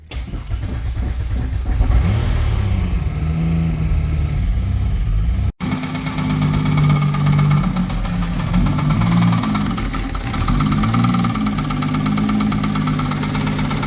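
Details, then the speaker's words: Turbo 3800 five-speed Cutlass Cruiser wagon: engine runs rough with a recurring knock-like tap under the note, getting quieter. Found the flywheel weight contacting the starter. "But we need to diagnose this issue with this noise, and I think we found the issue finally. And looks to be that the flywheel is contacting the starter with that weight in there."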